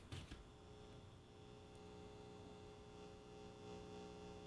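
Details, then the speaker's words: 1960s Accurate signal tracer, volume at maximum, its speaker humming; steady low mains hum with faint higher overtones held evenly, tube amplifier passing signal and working normally; normal amplifier hum. "Oh, I can hear the speaker humming."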